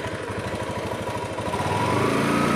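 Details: Honda Beat scooter engine after pulley set and bearing replacement for pulley noise (worn rollers, no grease): steady low putter picking up revs, no grinding or rattle.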